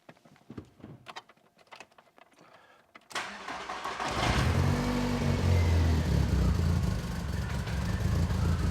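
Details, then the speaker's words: Late 1991 Golf mk2 converted to 2.0 16V ABF, high compression, cranked with no throttle: short crank catches quickly, settles to a smooth steady idle around 1000 rpm, no misses or knocks. "okay so that actually started up fine and the idle is that at a thousand"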